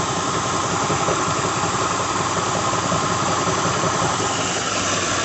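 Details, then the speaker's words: 2006 Lincoln Town Car just started, cold, at idle: a steady whir with a loose, uneven rattle and occasional knock from a failing harmonic balancer, after coils, plugs, pulleys, tensioner, alternator, belt and cam sensor were replaced with no change. "You can hear it now as I just started it, but it is a harmonic balancer. I'll start doing it after it warms up a little bit. You can hear it rattling right now."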